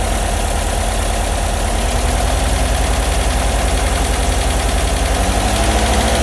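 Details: Bus air-cooled engine idling with an uneven low thumping and a faint tapping riding over it; engine noise at idle, source unclear.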